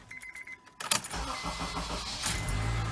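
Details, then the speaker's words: 2007 Honda CR-V with 203,000 miles after replacing a starter that had been grinding: a few light clicks, then a short, even crank and the engine catches with no grinding. The new starter works normally. "yep no more noise one more perfect looking good sounds good your starter works great"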